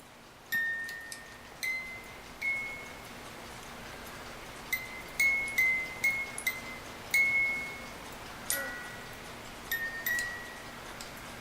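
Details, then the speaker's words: 1950s German-made Reuge wind-up ballerina music box alarm clock, opened for oiling; only scattered faint plinks with long gaps while being helped along, mechanism dragging; gummy dried old oil in movement, cause not confirmed. "you can see the music box is trying to play it is going around let me help it a little bit more"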